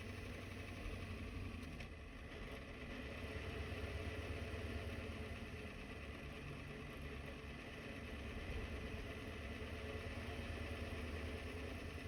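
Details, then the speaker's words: Diesel truck with a newly installed ZF5 manual transmission, idling at a stop: an uneven low rattle churns under the engine beat, gear rollover rattle from the gearbox. "Y'all are in for a treat when I hit the stop sign because You're gonna hear the worst gear rollover noise you'll ever hear in your life."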